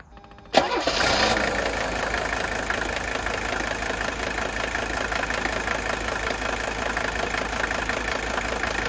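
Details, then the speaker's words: Healthy 1983 Mercedes 300D, OM617 diesel, used as comparison: catches and idles evenly with light, slightly intermittent clatter wandering in and out; normal fuel injector nailing. "This still has that sound of the injectors nailing, but notice it's a little bit intermittent."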